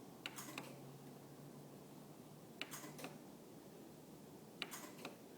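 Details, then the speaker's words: Genie garage door opener: sharp double clicks about every two seconds with no motor run, door won't close. Pushing the set limit switch or jiggling the door temporarily restores operation. "so just clicking sounds and the garage door doesn't actually come down"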